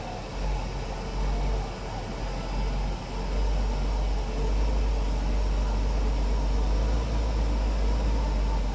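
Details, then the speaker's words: 1963 Pontiac after the knock fix: deep, steady, even running with no knock left; the crank-busting clunk is gone. "That sounds better."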